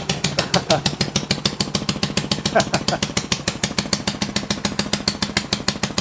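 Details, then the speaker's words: Honda Ruckus with a fabricated rear frame on its first test start, exhaust fitted without a gasket leaving a gap: sharp, even puffing ticks at idle, a raspy chuff at the pipe joint; exhaust leak at the header. "Oh, wow. It actually runs. It sounds like it's leaking."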